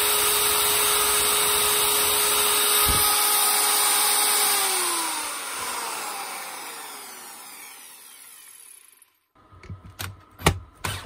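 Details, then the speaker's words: Zubr ZUBR-UShM-230-2100 PM3 230 mm angle grinder, brought in not switching on (a bad contact was found), now runs after reassembly: steady high whine with rough gritty hiss, falling tone on coast-down; worn bearings, all three to be replaced. "принципе слушаем рабочие но ему поменять все подшипники то есть три штуки здесь вот здесь короче будем менять 3 подшипники"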